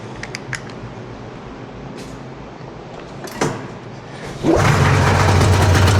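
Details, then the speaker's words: 1981 Arctic Cat El Tigre two-stroke snowmobile bought for $200, after adjusting carb slide cables and idle screws equally: handling noises, engine catches and settles to a steady, even idle around 1500 rpm; running healthy. "Seems like she's idling pretty good now. It's right right at around 1500. I don't know what these things need to be exactly at, but sounds good to me. It's not too low, but it's not too high."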